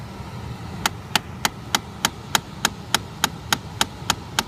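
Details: 2013 Chrysler 200: loud, sharp, evenly spaced clicking about three per second behind glovebox near cabin air filter, constant even after sitting parked; something in heater box clicking, cause unknown.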